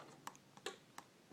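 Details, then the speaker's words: Garage door opener in service since 2006, light blinking with its relay clicking about three per second; remotes fussy while in-car HomeLink, wall button and keypad work; LEDs suspected, later largely fixed by new remotes. "you can see the light blinking and you can hear the relay inside clicking"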